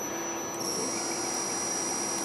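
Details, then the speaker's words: Stepper motor on a MaxNC CL CNC control board with a bad, overheating MOSFET: high steady whine jumping to a new pitch about half a second in; owner suspects the motor is driven on only one coil. "so um i'm suspecting that it's only being run on one coil that's why you hear the two different noises sounds differently"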